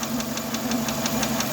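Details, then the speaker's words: Renault Megane 2 K4M, warm idle: fast, even tick five to six per second from the top of the engine near the fourth coil, vibration felt by hand; owner suspects a hydraulic lifter despite new INA lifters, timing, cam phaser; unresolved. "Стучит гидрит. И причем, вот если мы ставим палец, прям чувствуется биение."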